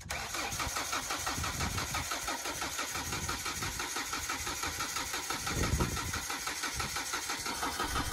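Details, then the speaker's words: JLG 80HX boom lift, Ford LRG-425 engine, about 15°F morning after a night in single digits, manual choke: long labored cranking, needing two cranks, before catching into a rough cold idle; hard cold start. "this definitely was not an easy start I had to do two cranks on it and um I think I didn't manage the choke well but you know when it's that cold this engine is going to have trouble starting"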